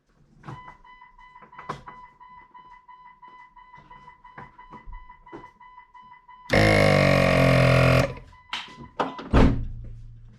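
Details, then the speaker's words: ARB CKMA12 single air compressor on a Jeep Cherokee XJ, mounted in the engine compartment off the firewall, switched on for its first test after wiring. A loud steady buzzing hum runs about 1.5 seconds and stops; it sounds as it should. "Well, that sounded like it was supposed to sound."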